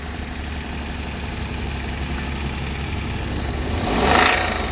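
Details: Suzuki K6A petrol engine, oil present: uneven knocking over the idle that grows louder as it revs, source not pinned down; engine knock.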